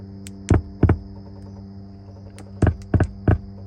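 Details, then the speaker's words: Nissan G37 on the owner's second day with it, not cranking and doors not unlocking: a steady low hum with uneven thudding pulses plays through the speakers, blamed on badly done, dangerous aftermarket wiring. "I don't know why that's going through the speaker like that though you hear that whoever tried to put it together did a terrible job terrible job"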